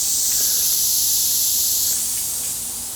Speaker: that's one gallon per hour it was just taking a little bit because there was some air in the line